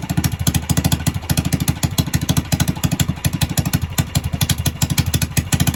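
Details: Predator 301 engine, ported and polished, on a Coleman machine at first start-up, started on one pull, owner feels it idles too high: fast, even single-cylinder thumping at steady speed, no knocks or misses; normal running.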